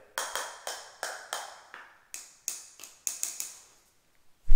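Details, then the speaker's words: Sharp tap test on floor tiles laid the previous day: taps ring a little hollow instead of a solid concrete-like click, since the thinset underneath hasn't cured yet; a hollow spot means unbonded thinset and the tile will break. "if you hear a hollow spot it it didn't take the thin set did not bond to the floor and uh that will be a break that that tile will break"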